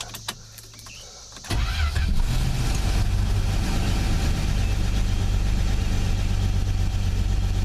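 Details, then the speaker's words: Forgotten Plymouth Valiant restarted on added gas, watching oil light go off: brief crank then steady even idle, low rumble, no knocks; sounded okay. "yeah that's fine all good sure it sounded okay good all right I like that"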